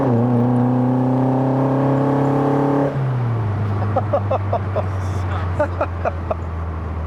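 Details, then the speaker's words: Fiat 131 Mirafiori Abarth with twin Webers, road test after revival: strong, even pull with smoothly climbing note, clean gear change, steady drone; healthy acceleration, though car feels wobbly, prop shaft balance suspected. "i love the gearbox and i love the noise"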